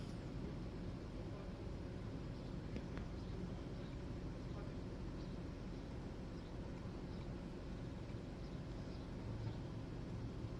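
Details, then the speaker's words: Petrol car engine idling steadily with no misfires after a cracked ignition coil was replaced, and it runs much better. Soon afterwards one misfire count appears on cylinder 1, and a spark plug or coil is suspected. "Motorul pornit acuma. M fire nu mai are pe niciunul."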